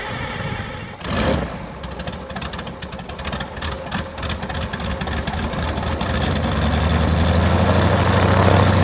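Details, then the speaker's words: Rotec R2800 110 hp radial engine, about 6 years old but never started before, on an Aerolab LoCamp reassembled after long storage, first start with fuel pump on: brief crank, catches in about one second, settles into an even steady pulsing idle. "fuel pump on or not it is now sounds good clear"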